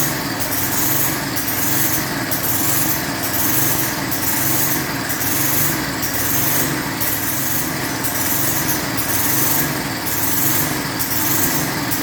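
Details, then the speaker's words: Lawn edger with 3.5 HP Tecumseh engine after a properly installed air filter: running fast and fairly even outdoors, no misses or surging; runs smoothly. "It's running better than I thought it was going to. I ain't gonna lie to you. Once I properly installed that air filter, that engine smoothed out nice."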